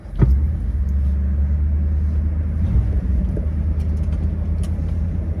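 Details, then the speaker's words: 1957 Ford Thunderbird, restored, 312 V8 Y-block, automatic, started in neutral: brief crank then steady, even low V8 rumble with no knocks or misses; normal healthy idle. "So I'm going to fire it up, walk around, show you the car here."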